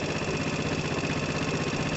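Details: 2012 Piaggio Typhoon scooter with a swapped-in used 125cc engine (two-wire internal ignition), first start-up: small single-cylinder idles with a quick, even beat and steady pitch, running smooth and healthy; normal idle.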